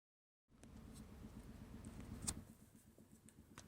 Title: F150 2015 v6 TI-VCT engine knocking noise